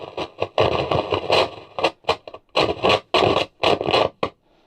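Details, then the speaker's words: JVC RC545 radio cassette boombox on radio with volume at zero: loud crackling, scratchy bursts from speaker whenever the volume knob is touched; scratchy volume potentiometer, wiggling didn't clean it, may need cleaning or replacement. "yeah I think for memory the volume part is really really noisy so let's give it a quick go"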